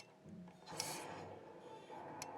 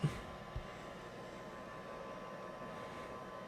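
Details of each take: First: Rheem indoor water heater with forced-draft exhaust blower, error code pressure switch stayed open too long; mic close to the blower pressure switch as air is blown into it: faint click over a second late, diaphragm hanging up, bad pressure switch. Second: Rheem indoor water heater after replacing the blower pressure switch (new one triggers at much lower pressure; lint clogging suspected): steady, even low draft-blower hum with soft pressure-switch clicks, no fault, burner lights; normal blower run.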